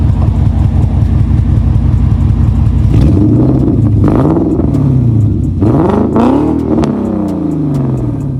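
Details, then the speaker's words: 2003 Infiniti M45 V8 with Nissan Titan headers and a new exhaust: loud, choppy exhaust with an uneven, stumbling idle between two quick revs; a noise first thought to be an exhaust leak turned out to be a misfire. "also it turns out that my exhaust leak wasn't exhausted it's actually a misfiring but I'll fix it when I fix it"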